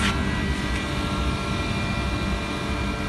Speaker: this is a very old blue star fix speed non Inver to compressor guys